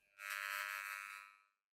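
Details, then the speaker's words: KRK Rokit 5 Silver Edition studio monitor bought cheap used, first power-up after tweeter dent repair: loud steady hard-edged buzz with no input; unit is faulty, though woofer and tweeter still play music; cause unclear. "Let's turn that speaker first. Oh. You can hear that loud buzzing coming from the speaker."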